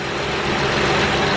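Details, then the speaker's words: 2008 Honda Pilot SE with a newly replaced power steering pump: a steady engine run with no squeal or whine, so pump operation is normal. Some noise right at first start is expected while the new pump pushes fluid through. "you're going to that's normal to hear the sound when you first start it up because the brand new pump so the pump got to push all the power steering fluid in there quick"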